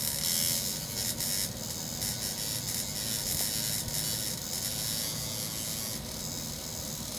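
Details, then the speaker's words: 1961 Monitoradio MC-160 single-channel receiver, vibrator contacts sprayed and sanded to burnish them: hissy, crackling buzz that keeps dropping out and sputtering back as the contacts spark. The set still doesn't work; a short is suspected elsewhere. "and here's some original sound so you can hear you know what the vibrator sounds like"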